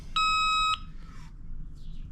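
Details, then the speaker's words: JC Penney Pinto moped (Puch E50 engine), flywheel turned by hand: electronic tester beep for about half a second, cutting off as the points open. Points switching properly. "Yep. That's just when they open. So the points are opening. We know we're creating a voltage that goes up to there."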